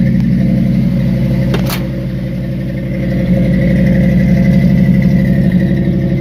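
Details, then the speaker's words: 1974 Ford F-100 pickup cold start after sitting three or four days, cranked then two plus two pedal pumps: steady deep-toned running with light revs rising and falling evenly, no knocks or clatter; engine sounds healthy. "I just give her two pumps didn't want to go so give her another two pumps oh she's about to go there she is she's running"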